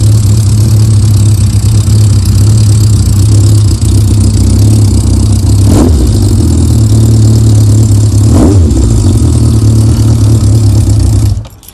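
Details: Yamaha Diversion motorcycle after Seafoam carb treatment: clean idle with two crisp blips rising and dropping back smoothly before shutdown; carbs sound balanced, engine healthy.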